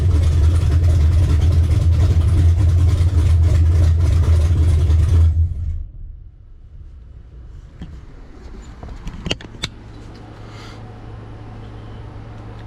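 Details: Cammed LS V8 swap in a Monte Carlo on ACES Jackpot LS fuel injection, restarted after first start with oil pressure up; deep, loud, choppy lopey idle for about five seconds, then dies away; normal cammed idle.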